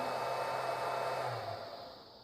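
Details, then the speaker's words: Restored Powermatic 90 wood lathe, aftermarket drive unit powering a 3 hp three-phase motor; at first start button the drive's fans come on: smooth airy whir with low hum sinking and fading; normal cooling fan run. "whenever I hit the first start button you can hear the fans come on and the LEDs light"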